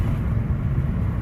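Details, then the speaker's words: 2007 Honda Civic after an engine swap that had misfired on all cylinders under acceleration, now with the wrong drive belt corrected: steady, even low drone driving near 3000 rpm, no stumbling or surging; normal running under load. "i'm running it right now and the car runs fine i have no issues right now with the car"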